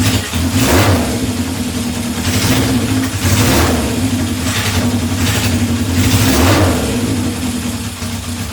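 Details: 1978 Honda CB750 K8 four-cylinder, first start after troubleshooting, on battery booster with temporary fuel supply: crisp throttle blips roughly every second rise and fall cleanly over steady idle, revving freely and returning smoothly.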